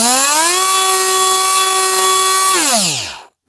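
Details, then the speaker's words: Parkside PFBS 12 C7 cordless precision rotary tool at full speed with no load, for a noise comparison with a corded Dremel: a high, steady whine, then it slides smoothly down to a stop; normal, healthy motor. "Petite comparaison rapide entre le bruit de ma drel filaire sur secteur à fond et le bruit de la Parkside."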